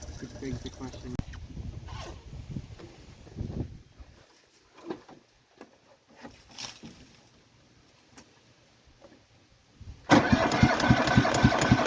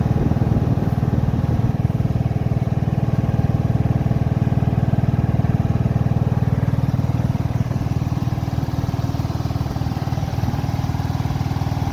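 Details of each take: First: Cub Cadet Series 2000 riding mower, cold start after sitting eight months with little fuel, tried at half throttle: long stretch of faint failed attempts, then the engine suddenly catches and settles into a quick, even idle; hard starting. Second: Cub Cadet Series 2000 just after a hard cold start after sitting 8 months: the small single thumps at a low, steady beat, nearly three a second, even and unbroken; a smooth, healthy idle.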